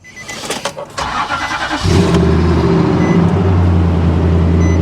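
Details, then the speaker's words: Heavily modified Nissan Armada at a salvage auction yard: handling noises, then the V8 catches and settles into a deep, loud, throaty idle rumble from an aftermarket exhaust. "pretty how often you're hearing nissan sound like that not often i mean i'm not lying guys i actually do kind of like it"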